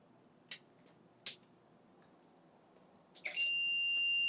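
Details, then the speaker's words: UPS running on dead batteries (replacements on order) returns to mains: two relay clicks, then a steady piercing alarm as the output cuts out for a couple of seconds. It dropped output on mains restore. "it also dies when it's running on battery and power is restored and it came back but the output was off for like a full couple of seconds"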